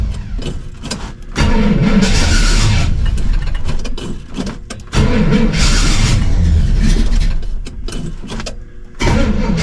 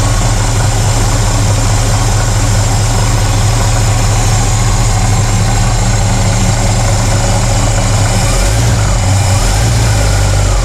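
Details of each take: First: 1968 Pontiac LeMans, sitting most of the winter, cold start: repeated cranking bursts before it catches, then an uneven, lumpy run that surges and sags. The owner suspected it was out of time; it then ran strong. Rough cold start. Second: 1968 Pontiac LeMans cold-started after sitting most of winter, warmed up until idling without pedal: deep, steady, even idle with no misses, knocks or hunting; healthy warm engine.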